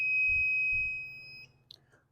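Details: Rotax 185 ignition after setting point gap, E-gap and timing with dial indicator and buzz box, lid off: steady high buzz cuts off cleanly as points open at about 146.5-147 on the indicator; timing correct, witness marks lined up.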